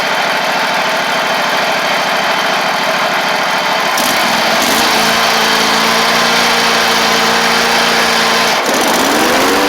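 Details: Ferris stand-on mower, 2018 Briggs Vanguard 49E877 OHV V-twin, after the fix for running on one cylinder (loose intake rocker/guide bolt had thrown the pushrod off; pushrod refitted, valves checked): runs smooth and even on both cylinders, settling to a higher speed.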